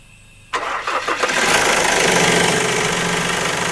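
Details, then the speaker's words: Ford Ranger (also said to pull weakly) with failed timing belt tensioner bearings, one slapping badly: engine cranks and catches, then settles into a clattery idle with a rough rapid slap; run only briefly for fear the belt breaks. "Okay, ito mga kapatid sira Sira na tong mga tensioner bearing na to, lalo na to, pumapalo. Ayan sirang-sira Wala nang laban yan sir."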